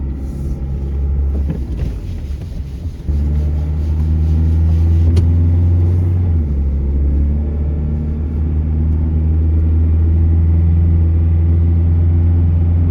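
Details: Truck with newly installed timing chain on a road test: smooth low engine hum rising and settling with road speed, no rattle or slap; quiet and healthy.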